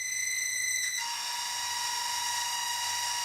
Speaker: obviously one of the bearings in there is a little nasty grinding away as you can hear but it's okay I still have backup fans if I need to replace them